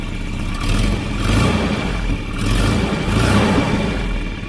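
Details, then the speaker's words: Volvo 740 wagon with about half a million km, replacement exhaust manifold and new downpipe gasket, nuts tightened. Raspy chuffing blow rises and falls with each rev; severe exhaust leak where the downpipe mates to the manifold. "It's got a horrendous blow out the downpipe out of the where it mates here. It's just firing out of here. I've tightened it down, but it's a severe leak."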